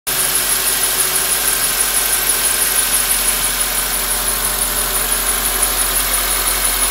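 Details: 2004 Honda Accord K24 engine at idle: thin, steady high-pitched squeal with a faint fast chirp over a smooth idle, source on the engine not yet identified.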